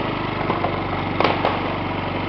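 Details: Yamaha C3 49cc fuel-injected scooter, thought to be a 2009 and believed liquid cooled, fired up while hooked to a scan tool after a no-start: a steady, even idle with a couple of light clicks, running smoothly.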